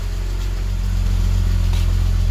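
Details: Cold-cranked engine, about 170,000 miles, after sitting five years: steady low rumble with faint metallic chatter at idle; high-mileage rattle, source not pinned down.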